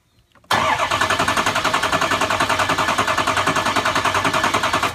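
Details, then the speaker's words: 6.0 Powerstroke diesel that runs rough, cranked by jumping the starter tab to positive. Even, steady cranking with evenly spaced compression pulses and no skips or hard spots; the base engine is judged healthy. "now I don't feel that we have a base engine problem."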